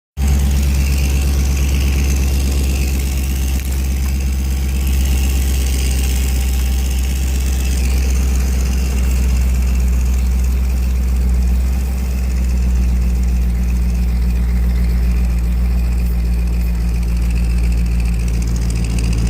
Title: Flowmaster Exhaust Leak